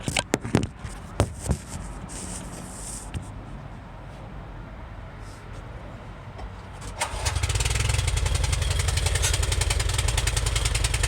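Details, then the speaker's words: Small engine, cold after sitting since the day before, fuel on and choke on: a few sharp pulls, catches at seven seconds on the first start attempt and settles into a steady even putter; normal cold start. "Fire it up first try."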